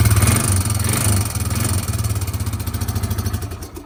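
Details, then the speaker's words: Single-cylinder engine (300) at idle, rebuilt with new valves, seats, springs and rings, strong compression: fast metallic clicking over the thump from a badly stretched timing chain, replacement chain ordered. "so as you can hear you can hear that clicking and that's the timing chain and it's super stretched"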